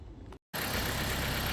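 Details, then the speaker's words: 2014 Jeep Patriot with overheating and bucking, after new battery and radiator cap; steady even idle with radiator fans roaring, kicking on right away; suspected bad battery connection caused the issues. "all right so we're fired back up here and I do have the fans blowing which is good they kicked on right away"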